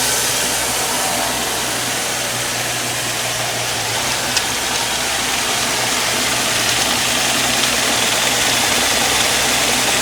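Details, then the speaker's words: 2001 Jaguar X-Type 2.5 V6 manual petrol after water pump replacement and coolant refill, just restarted with the idle advance dropping off: steady, even engine note with constant hiss, the earlier ticking noise gone; normal running. "So the advance has dropped off again. I can't hear the ticking noise. Good news."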